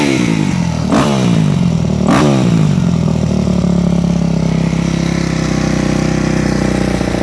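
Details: Four-stroke MX bike with Keihin FCR-MX carburetor after the fuel screw is turned back out: brief high idle on start, then settles within about a second to a steady, even thump; fuel screw set properly, normal idle.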